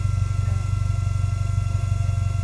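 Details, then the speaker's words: GT4 at warm, lumpy idle with a brand-new in-tank fuel pump and new exhaust: a thin steady whine above the idle that doesn't change with the engine; the pump runs too loud, and the owner suspects fuel pressure. "Noisy old pump, innit? You hear that? Yeah, yeah. That's not right, is it? No. The old fuel pump's a bit whiny."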